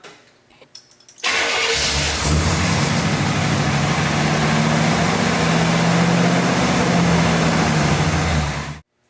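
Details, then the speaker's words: 1959 GMC truck started for the first time in 15 years, choke blade held shut by hand: loud lumpy run with belt noise, only runs on full choke; owner suspects a vacuum leak from the original Hydrovac and power steering. "when you have a vehicle that will only run with the choke being held on like that, I immediately think vacuum leak."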